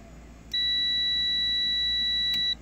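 A steady high beep holds for about two seconds, then cuts off: the overstroke switch is closed and has continuity.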